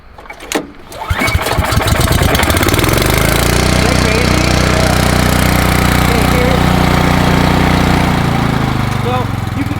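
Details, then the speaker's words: Cub Cadet 2X 30-inch EFI snowblower, cold start after sitting overnight in a building at about 50 degrees: electronic fuel injection primes, the green ready light comes on, and it starts on one pull. It settles into a steady, even run with no stumble; a healthy start. "Once I turn it, you guys are gonna hear the electronic fuel injection kick in. Hear that? I hear it. You get a green ready light and just pull. It should start on one pull."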